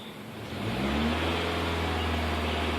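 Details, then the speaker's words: 2005 Toyota Corolla after vacuum-leak repair for a lean code. Engine rises smoothly from idle to a held higher RPM to check fuel trims: steady even drone, no hiss, stumble or surging. Trims no longer drop low; long-term trim stays under 10 versus over 20 before. "If they do, there might still be another leak, or I need to recheck my work. So I'm going to raise the RPM,"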